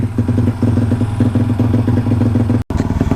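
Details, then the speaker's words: Motorcycle single running a 34mm carburetor being dialed in for a bog when cruising: lumpy, uneven beat with stumbles and a brief cut off idle. Owner suspects slight flooding and expects it to smooth out. "well jeepers should get a little flooded there or what she'll smooth out"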